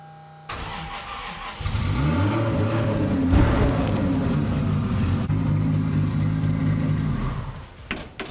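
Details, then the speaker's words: Chevy Bel Air project car, first fire-up of its 17-year-old engine: short crank catches after about a second, blips, settles into an even idle, then shuts off; starts healthily. "And that's what it's about right there. The first time any project car fires up, it's the motivation to get it to the end of the road."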